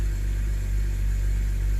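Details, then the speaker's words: BMW 328i E90 with new three-stage intake and engine cover fixing a rough idle blamed on a bad CCV valve, started on a 35.5-degree evening. Starts right up, steady even rumble, no rough idle or check engine light; normal idle. "yeah car starts right up no rough idle no check engine light everything is done properly"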